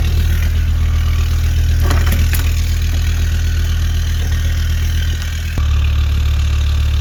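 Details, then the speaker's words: Land Rover Discovery 2 TD5, mapped, after new turbo and exhaust manifold fitted (broken manifold studs fixed), actuator set standard: steady even diesel idle, smooth rev with faint turbo whistle, back to clean idle; sounds healthy. "so yeah that sounds pretty good another job ticked off the list"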